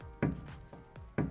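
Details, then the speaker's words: 30-year-old Toyota Camry, front wheels off, passenger-side front half shaft rocked by hand. Two dull clunks show more play than on the driver side. Owner unsure if normal; suspected half shaft play. "okay so that has a lot more play than the driver side can you guys hear that"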